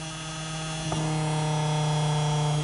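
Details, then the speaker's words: Singer model 221 sewing machine with a new Featherweight Shop Superbelt V-belt, motor at full power on a dimmer speed control: steady motor hum jumps noticeably higher in pitch once the over-tight belt stops dragging the motor down. "on the belt you hear it come down a little bit and speed"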